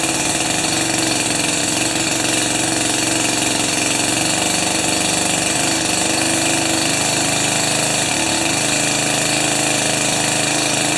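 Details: Jiffy 30 2-stroke 3HP ice auger on 30:1 fuel after carburetor work and J19LM plug swap: high buzzy note holding fairly steady with slight wavering; idles and runs cleanly.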